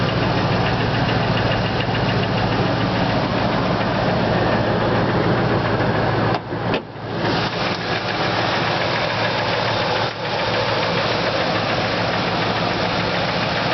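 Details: 1999 Ford F150 5.4 2V V8 at idle, heard via wood stethoscope on the passenger-side exhaust manifold from underneath: steady, rapid knock, owner suspects cylinder two or rod knock; no cam phasers; cause unconfirmed.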